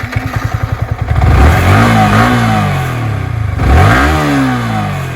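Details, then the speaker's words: Yamaha R15 V3 after repair with a new cylinder kit, following engine knocking: the single-cylinder engine thumps evenly at idle, then takes two clean throttle blips with no knocking. Runs normally again. "मतलब पहले जैसी हो गई है गाड़ी कोई tension की बात नहीं है"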